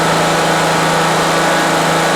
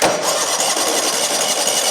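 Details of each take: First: 2003 Exmark zero-turn mower, abandoned and not run for years, first start after sitting: steady even engine hum at raised throttle, then settles smoothly to a lower idle; runs cleanly, though fuel is spraying somewhere; normal running. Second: 2003 eXmark zero-turn mower, abandoned and not run for years, tried on the key after an earlier run: steady starter whirr, engine turns over evenly but never catches, then cuts off; cranks but won't fire; clogged carburettor jets suspected.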